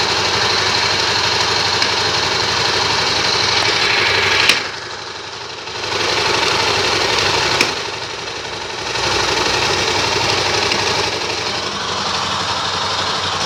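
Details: Honda Tornado 250 motorcycle idling in neutral with a regular knock of about four per second and some dips. It is louder in fourth gear even at 30 km/h but absent in third at 30 km/h; the owner first suspected the gearbox. Cause unconfirmed.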